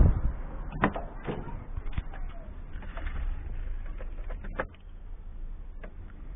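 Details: Citroën ZX break with XUD diesel engine, after accessory belt tensioner pulley replacement (belt drives power steering pump, alternator and damper pulley): low, steady, smooth idle with no squeal or chirp from the belt; normal idle.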